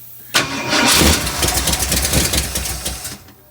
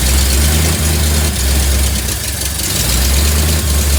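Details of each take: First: 1958 Ford F100 restoration: engine sputters briefly on brake cleaner already in it, then dies; fuel line barely pumped any fuel, indicating fuel starvation. Line unhooked to check pump output. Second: 1958 Ford F100 V8 after carb work and a fuel line replacement, with the fuel filter suspected as part of the earlier no-run; flooding, responds to timing: deep, even burble at steady idle, no misses or knocks; idling well.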